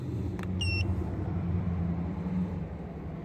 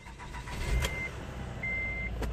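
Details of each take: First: 2008 Acura TL 3.2 V6, almost 200,000 miles, codes P0300/P0302/P0303/P0305: rough, lumpy idle with uneven low thump as cylinders two, three and five misfire. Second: 2008 Acura TL 3.2 V6 idling steady and even with no stumble after replacing ignition coils, fixing random misfires (P0300, P0302, P0303, P0305).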